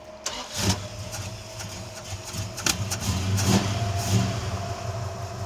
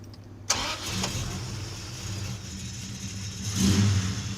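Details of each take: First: Plymouth Duster on a hot road trip, started with the idle set too fast: the engine catches and settles to a fast idle with a steady thin tone riding over it from a junk idler pulley bearing on the belt. Idler pulley bearing noise. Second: Plymouth Duster after checking belt engagement on the pulleys to cure an earlier noise: engine catches quickly and settles to an even idle with a short rev and no squeal or chirp; fixed.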